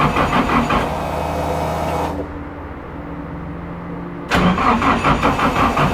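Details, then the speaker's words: Toyota AE86 drift car with rebuilt engine, new CP pistons and higher compression, cranking for oil pressure: two sluggish cranking bursts with a pause; slow cranking from small battery and thin power cables. "I can't crank the car fast enough to get the oil pressure before we try and start it"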